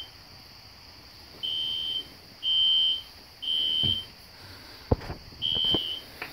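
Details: System Sensor SpectrAlert Classic horn strobe on low volume, heard in the background of a house demo with no control panel: high shrill half-second bursts about once a second over a quiet room; horn sounding normally.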